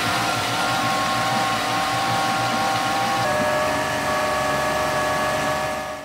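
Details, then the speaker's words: Honda BF25 four-stroke outboard that had been submerged, restarted and left to warm up so moisture evaporates, before repeated oil changes to flush out emulsion: steady, even high-revving drone with stable pitch, dipping near the end; runs smoothly. "запустился даём прогреться проверяем работу"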